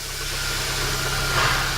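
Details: Chevrolet Celta petrol engine idling after throttle body cleaning and injector service: steady low hum with an even beat, no knocks or surges, smooth normal idle.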